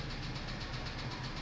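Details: F-150 with 180,000 miles, idle: quick regular top-end tapping, getting louder; cylinders two and six suspect, valve train suspected (possible broken rocker); replacement engine advised; engine knock at idle.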